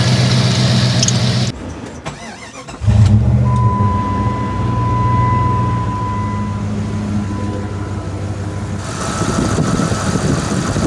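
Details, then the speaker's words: 1996 Jeep Grand Cherokee V8 started after serpentine/drive belt replacement with an A/C bypass belt: cranks, catches and settles to a steady even idle, no squeal or chirp. "now I'm a double check everything and make sure everything is right before I start the vehicle and everything looks right so I'm gonna go start it and listen for any squeaks final handle squeaks and a job well done"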